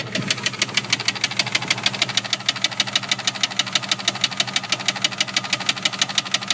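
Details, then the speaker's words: 1999 Jeep Grand Cherokee 4.0 six-cylinder at idle: sharp, regular knock about three times a second over steady idle, much louder after a half-mile drive, seeming to come from below the engine. "I just took it for a drive like a half a mile and it got a lot louder. Sounds like it's coming from below the engine."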